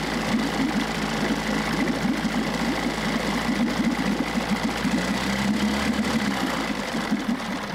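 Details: Even two-stroke putter with a slight tone change near the end: 1994 Johnson 6hp outboard with thermostat removed, pumping good water, running fine while shifting between forward and reverse.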